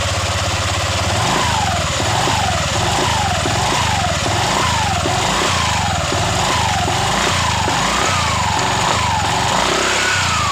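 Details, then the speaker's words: Honda Vario 125 LED scooter after CVT repair for low power and rough CVT noise, roller housing refitted: revs rise and fall smoothly with each blip and no rough rattle underneath; CVT clean at low and mid revs. "sudah bersih pada awal putaran Tengah putaran itu nggak ada masalah"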